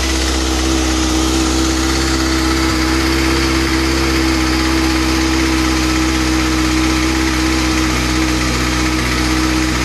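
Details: New 2013 Kawasaki ZX-6R at idle with some revving: fast, light, fairly loud ticking from the top end; source unknown and concerning to the owner.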